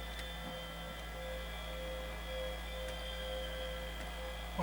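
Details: Sony BDP-S380 Blu-ray player, working again after a failed PSU Schottky diode was replaced: the disc drive drones with a low steady hum and faint higher tones, no rhythm, and sounds unhealthy. Cause not yet found.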